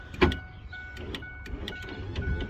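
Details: 1995 Ford pickup power window: thin motor whine cutting in and out between sharp clicks as the glass jams partway going up or down; window motor gear slipping, motor removed for repair.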